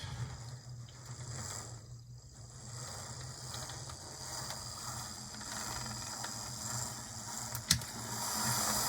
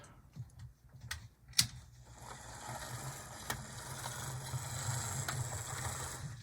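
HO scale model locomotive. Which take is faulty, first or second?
second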